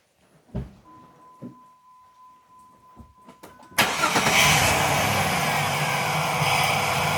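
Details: Jeep engine with the air filter housing deliberately left unsecured: quiet clicks, then it cranks and catches into a raspy, uneven idle with extra intake hiss. Rough idle from a loose air filter housing; it smooths out once resecured.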